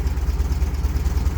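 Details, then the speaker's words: 1978 VW Super Beetle air-cooled engine, Bosch L-Jet injection, cold idle before warm-up: low lumpy pulse with a quick hop every few beats; owner suspects a dead miss, smooths somewhat as it warms. "That looks like a dead mist to me, honestly, cuz it's you getting that like quick hop."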